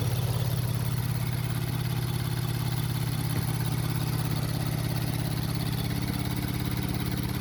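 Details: 2019 Infiniti Q50 with 27,000 miles, engine idling with a light, regular clicking about three or four times a second; cause unknown.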